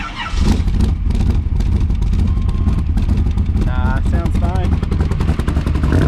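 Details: 1982 Camaro V8 with high-torque starter, after fixing the hanging driver-side exhaust, owner feared jacking the pipe caused a leak: deep steady rumble with no ticking or puffing at the manifold; no exhaust leak, healthy idle.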